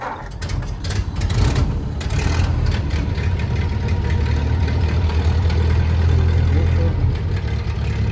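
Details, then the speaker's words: Circa-1931 flathead engine, sitting over 40 years, reinstalled: catches and settles into a steady, fairly even low rumble with no knocks or misses; running healthy. "40 years out and running got it out for a little spin today"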